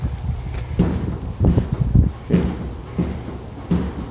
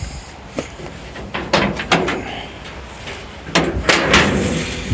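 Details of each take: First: 1937 Dodge Brothers door after hinge adjustment: several dull, heavy thumps with a hollow knock as the door shuts, something on the door striking the body; owner suspects the door was bent from blowing open. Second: 1937 Dodge Brothers door refitted straight with its handle on, catch a little messed up: a few solid thuds with a short metallic catch as it closes and latches; working well enough.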